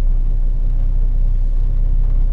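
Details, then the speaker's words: 1974 Valiant, settled after a cold start following months sitting in freezing weather, temperature gauge not yet off the peg: low, steady even idle with no misses or knocks; normal idle. "five actual revolutions and just came up and it was about as happy as this right it is now"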